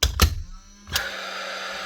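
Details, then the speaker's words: Paslode IM350+ nail gun after motor replacement: a couple of clicks, then the fan motor spins up to a steady, even whir with a faint hum and a solid green light, running normally. "You get your solid green light and you'll hear your motor actually running and you'll hear the spark sparking inside."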